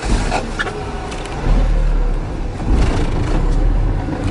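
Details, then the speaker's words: Car driven at high speed in first gear: loud, strained roar at high rpm with deep rumble; noise stops after shifting to second gear, so driver should upshift. "अब आवाज बिल्कुल बंद हो गई है क्योंकि first gear में RPM high हो जाता है इंजन का इसलिए आवाज आती है"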